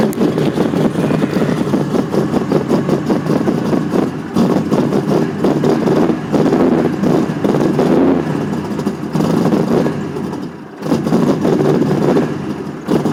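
Lumpy, uneven V8 idle with irregular dips and stumbles in the beat; a clear cylinder misfire.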